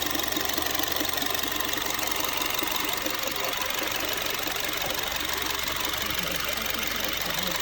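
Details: Honda Freed idling with A/C off; a fast, fairly even ticking clatter of about three per second rides over the idle, source not yet pinned down, an unexplained engine noise under inspection.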